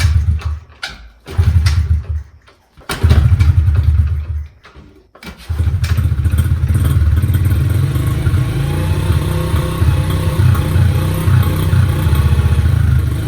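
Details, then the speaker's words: Pit bike single-cylinder, before carb cleaning, carb flooding with fuel out of the overflow: it coughs and thumps on kickstart, catches briefly, then sputters out and won't keep running. Fuel delivery problem. "So it started up there, which kind of was weird, but now it's doing it again. So that was obviously just a fluke."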